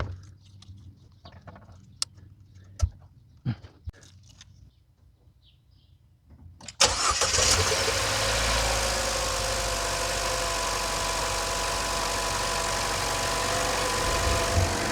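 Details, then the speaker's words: Chevy Trax/Cruze after temporary fix of a misfiring coil connection taped with electrical tape: a few clicks, starter catches, engine settles into a steady, even idle, no stumble; before it was jerking, now normal. "sounds perfect it is running good again before that motor was jerking all over"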